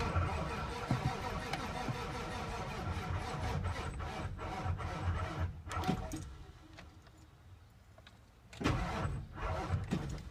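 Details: 1997 7.3 diesel, crank no start, no smoke: starter cranks at a steady pace in bursts but it never fires. CPS, all 8 glow plugs, UVCH, pigtails and fuel filter already replaced; shop suspects a fried IDM. Cause unconfirmed.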